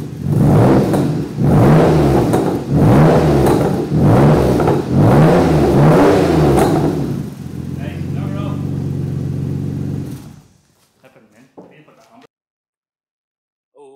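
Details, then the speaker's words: Ford Capri 2.9 Cosworth twin turbo, first start on a new full stainless exhaust built from scratch, recorded with an external microphone: sharp throttle blips about every second, then a steady, even idle; sounds healthy. "so in that last bit of video you saw the car start up for the first time this new exhaust on um i'm sure you'll understand that it just doesn't sound as good on the video as it does in real life"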